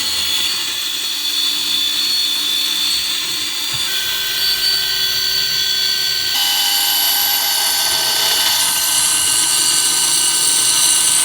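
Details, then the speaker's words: Vintage aircraft attitude-indicator gyroscope spinning, holding level when tilted: high hissing whir with shifting whistle tones and rough, gritty edge; owner says it's not sounding good and suspects worn bearings. "oh not sounding very good though are they"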